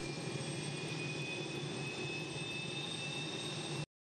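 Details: Enstrom 480B turbine helicopter start sequence, starter held, throttle from cutoff: steady high turbine whine with clear tones over even air rush, no surging or roughness; normal turbine run.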